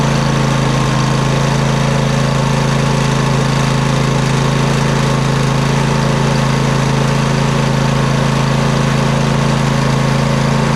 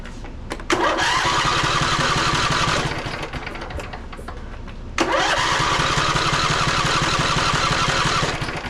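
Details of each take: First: Poulan Pro 700EX riding mower twin, both plugs reconnected after running on one cylinder: steady, even idle on both cylinders, no misses or pops, smoke from the long-unused side burning off; normal idle, everything working properly. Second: Poulan Pro 700EX twin-cylinder riding mower that bogs or dies under load: two cranking bursts with a light, lopsided rhythm and no firing; the compression gauge reads zero on one cylinder because a valve is held open.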